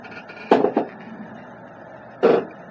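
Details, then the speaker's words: Two short, squeaky creaks as the Monster is rocked sideways, quiet between; it doesn't re-center and stays pushed to either side, which the owner takes as something seizing up, like a dry, binding suspension pivot. "when i rock the monster sideways [Music] that's when i'm getting creaking and it's not centering"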